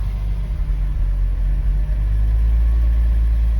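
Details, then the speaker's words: Long-neglected BMW Z3 M now running again: smooth, even low rumble with steady revs and no knocks or misses; engine running cleanly. Normal running. "But chuffed the bits that it's running now. Really pleased."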